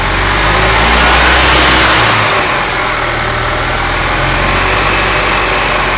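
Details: Gas EZGO TXT golf cart single-cylinder engine, brought in skipping badly, with worn valves found; it idles steadily, picks up cleanly on the throttle and settles back without misses, running healthy.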